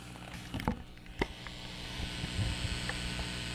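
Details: Restored Supro tube guitar amp at full volume, no signal, after rerouting heater leads: only faint steady low hum and hiss, about 56 dB at speaker, with a few handling clicks; normal quiet amp.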